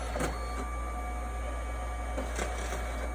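A steady low hum with faint light ticks every second or so as the paper feeds through; the printer is running a job normally.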